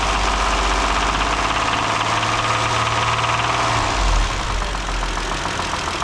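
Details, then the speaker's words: 2012 Kia Sorento 3.5L with 252,000 miles, brought in for an oil filter housing leak, warming up at idle on a -2° morning: a loud, hard metallic rattling knock at about two per second. Internal damage from having run out of oil. "she rattles hard so um I'm sure running out of oil probably did some damage"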